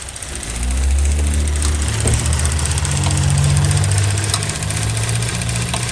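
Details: 2016 Chevy Cruze 1.4L Ecotec turbo, run low on oil, reduced engine power, camshaft position timing codes: uneven lumpy idle with low throb that stumbles every second or so; exhaust-side cam timing fault.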